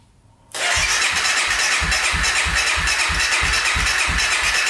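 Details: 2014 Honda CRF250L dirt bike, reported to spark wet and occasionally pop: starter cranks at an even beat, about three compression pulses a second, but never fires; crank, no-start. Cranking compression later found normal (about 87 psi per manual, with decompression valve).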